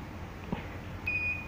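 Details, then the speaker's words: Smartphone charging port repair: USB connector already replaced but still no charging voltage; multimeter continuity test on USB positive and negative lines gives a steady high beep, meaning the charging line is shorted to ground. "เช่นที่นี่จะลัดวงจรหากไฟฟ้าลัดวงจรมีเสียงแบบนี้หากไม่ลัดวงจรจะเกิดเสียงเราใช้avometerถ้ามันอ่านแบบนี้มันหมายถึงไฟฟ้าลัดวงจร"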